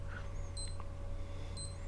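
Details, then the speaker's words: Salvimar One Plus freediving watch in pacer mode set to a 60 interval: short high double beeps about once a second over quiet room hum; pacer beeping normally. "เริ่มหยุดโดยการกดปุ่มนี้เพื่อให้คุณได้ยินเสียงบี๊บที่เสียงบี๊บนี้เดินไปที่"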